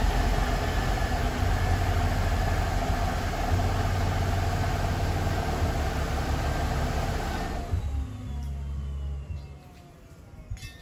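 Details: 2008 Hummer H3, 116,000 miles, with a new Magnaflow cat-back exhaust: a loud, lumpy, uneven rough idle with dull exhaust rumble at start-up that then dies down; a recurring random rough-start misfire with P0300; owner suspects soft valve seats in the head.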